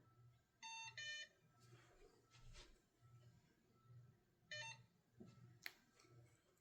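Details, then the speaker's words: Safe House 49-485 keypad after the Bosch ISC-BDL2-WP12G motion sensor on zone one, a day zone, is tripped while the system is disarmed: two short chime tones a few seconds apart, the first marking the zone fault and the second its restore. "So you heard two little chime tones come from the keypad. First one is indicating that zone one was faulted."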